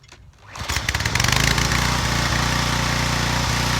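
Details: Residential pressure washer after replacing the freeze-cracked pump: cranks, fires within half a second and holds a steady even beat with no misses; engine runs healthy, no water leaking.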